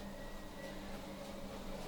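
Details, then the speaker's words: A Peloton exercise bike pedaled seated and standing gives a steady low hum with no squeak or clicking after screws were tightened and cranks lubricated with WD-40. "and i don't hear anything i'm standing up and pedaling all right i think uh something was loose or maybe the wd-40 worked but either way i got rid of the squeak"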